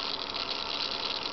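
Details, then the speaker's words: Analog RC servo driven by a Turnigy 760LV-HV servo tester: a high-pitched, rough buzzing grind that never smooths out. Owner suspects a stripped gear, not confirmed. "but is this one's analog and just sounds awful I think one of the gear strip"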